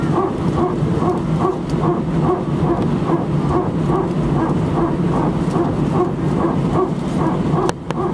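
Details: Air France Airbus A319, flight AF2487 Sofia to Paris, recorded from cabin seat 18F while taxiing: cabin hum with rapid, evenly spaced bark-like buzzing repeating steadily; strange repetitive barking noise, source not identified.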